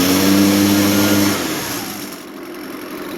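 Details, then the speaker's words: Echo PB580T backpack blower after fitting a new aftermarket cylinder, with about 120 psi compression and the carburetor left slightly rich for break-in: a crisp, even two-stroke rev with no misfire, though the idle is not fully smooth. "it runs a whole lot better than it well it doesn't idle quite as smooth as I would like"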